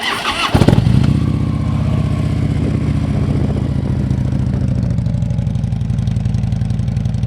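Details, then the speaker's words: 2011 Harley-Davidson Ultra Limited V-twin, 17,893 miles, traded in with a new rear tire: quick crank, instant catch, then a steady loping potato idle with even beats and no ticking; normal healthy start and idle. "It's got 17,893 miles on it. Let's listen to this beast fire up."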